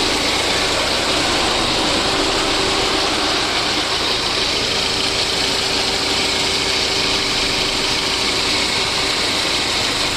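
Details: VAZ 2109 engine after a full overhaul: smooth, even idle with a steady hiss and no knocks or misses; normal idle.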